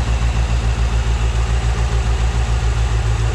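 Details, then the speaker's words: Frame-off restored 1957 Chevrolet 210 with a 283 Rochester V8, idling and lightly revved: a deep even burble with steady exhaust pulses, not overly loud, with no knocking or ticking. Normal idle. "Again, not obnoxiously loud. Just that nice sound of the late 50s, early 60s that you'd expect in a classic car."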